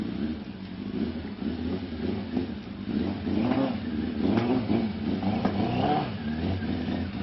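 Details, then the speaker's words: 2003 Suzuki GSX600, 11,100 miles, unregistered for four years, stock except a slip-on muffler, running while loaded onto a trailer at purchase: uneven, stumbling misfire with irregular exhaust pops. The owner suspected dirty carbs. "It's me loading it on the trailer, and you can hear it skipping and popping through the exhaust as I'm loading it."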